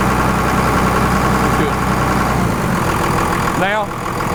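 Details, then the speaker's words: 1998-2002 Dodge Cummins after a new VP44 injection pump install, throttle held around 1100-1300 RPM to work air through the system: steady, even drone with no stumble or surging. Smooth running. "we got a smoothed out truck. So just touching the throttle like that, revving it up to 11, 12, 1300 RPMs just lets the truck smooth out."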